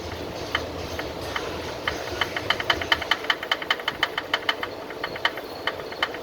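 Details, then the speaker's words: Mazda 3 2.3L, heard from underneath the car: sharp metallic knocks several times a second over a quiet running engine. It is rod knock from the cylinder number two connecting rod bearing. "that's cylinder number two here and that's our rod knock right there"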